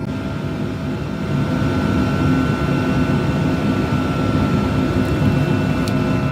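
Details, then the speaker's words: Birch RV 5 kW diesel heater after startup: fan slowing down, draw dropping to 36 W. Steady low whir with faint tone and airflow hiss, easing slightly; normal fan running at low setting. "It's happening right now. We're already at 36 watts. The fan is slowing [music] down."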